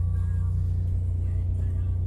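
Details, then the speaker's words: Mercedes C300 at an auction yard, about 130,000 miles, cold start. Deep, loud, pulsing rumble at idle, far louder than normal; exhaust leak. "oh she's loud okay that's that's an exhaust issue holy moly"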